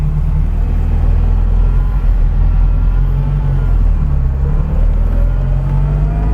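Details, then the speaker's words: 1978 Ferrari 308GTB, restored, with a brand new clutch and a Holley installed. Even, deep burble with a steady low rumble and smooth firing, no knocks or misses; normal idle, runs very well. "Wipers work. As you can hear, it runs very well."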